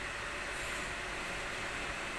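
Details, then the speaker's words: Desk fan after repair of a blade striking a part with a clacking sound: steady, even rush of air at speeds 1, 2 and 3 with no clacks or knocks. "ล้อหมุนปกติเบอร์123ได้ปกติครับไม่มีปัญหาเสียงดังแก้ใขมาให้รบกวนอ่าแล้วครับ"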